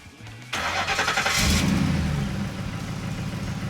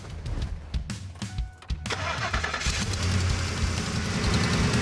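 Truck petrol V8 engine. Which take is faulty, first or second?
second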